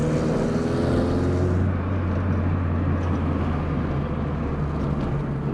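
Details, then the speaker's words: VW Polo coupe on test drive after engine reassembly: engine pulls smoothly, then settles to an even hum under road noise, no knocks or misfires; normal running. "oh that's what I'm talking about I missed that sound"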